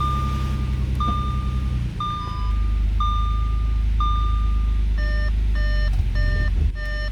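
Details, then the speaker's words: Audi S4 3.0T supercharged idling after an oil change with five liters added. A single high chime sounds about once a second, then a quicker two-tone chime: the airbag warning, caused by the rear seats being removed to save weight for track days. "the reason for that our Berg light is because I have my back seats removed going from home to a track day you know want to shave some weight get better times"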